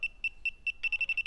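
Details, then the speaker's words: Refrigerant sniffer calibration test next to an open refrigerant can, with the beeper covered to quiet it. Steady beeps about four a second jump to rapid beeping near ten a second, showing the very sensitive detector works. "so this thing is very sensitive and it works so just to reiterate I did research a refrigerant is much heavier than air so it sinks so we have leakage here oh yeah oh yeah there is a layer of refrigerant there"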